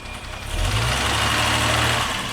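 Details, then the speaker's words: 1975 Jaguar XJ6 straight-six, warm idle after K-Seal head gasket treatment for coolant leak into cylinder 2: light quick tappet ticking due to way too thin flushing oil, oil pressure about 30 psi instead of 40. "It does have way too thin oil, so it's a little tappety, but it's great for flushing it out."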